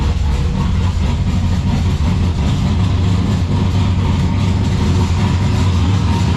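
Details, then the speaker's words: Turbo V6 Ecotec drift car at idle on first runs, deep lumpy idle with loose metallic rattling buzz from a loose part in the Y-pipe or rear exhaust section; rattle stopped with electric exhaust cutout switched. "it sounds very rattly because there's um the exhaust somewhere is there's like a roost part somewhere so it's just rattling its head off so ignore that"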